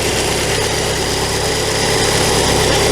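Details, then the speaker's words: Classic VW Scirocco carburettor petrol engine idling after sitting a year: thin steady whistle; brake cleaner sprayed raises engine speed, confirming a massive air leak; carb-to-base mounting nuts found loose. "There's a massive air leak to the car. Confirm my pressure down on it. Look at the engine speed increasing. I can hear it."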